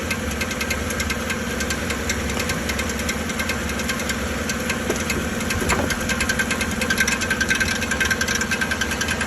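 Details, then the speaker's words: 2013 Chevrolet Silverado 1500 5.3L V8 with the check engine light on, idling with a steady knock and metallic rattle resembling a flexplate problem. The cause is the starter drive gear not disengaging, not an internal engine fault. "el problema de esta camioneta de esta troca es que hace un golpeteo y hace un ruido como si fuera un problema de volante cuando el volante se escaquea"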